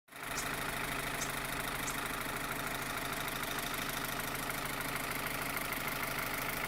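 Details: 2015 Opel Astra H Z16XEP petrol engine at idle: fast, sharp metallic ticking about twice per second from the top end, like tappets; disappears when cylinders 3 and 4 are cut, tappets and injectors ruled out, non-original camshafts suspected; cause unknown.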